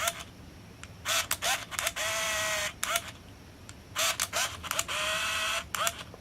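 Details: Olympus Infinity Stylus Epic 35mm point-and-shoot, frames about 17–21 of a scrap roll: sharp shutter snaps, each followed by a short, even motor wind-on; the shutter and film advance are healthy.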